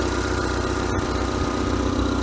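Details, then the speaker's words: Mitsubishi Lancer bought at auction, oil, coolant and transmission fluid clean: steady idle with a light, quick ticking over the hum, even with engine speed; owner suspects a slight exhaust manifold leak. "Sounds like I'm gonna have a slight exhaust leak actually. Which I didn't hear that earlier. That's for me checking the oil earlier on. Yeah, it sounds like it's got a manifold leak or something."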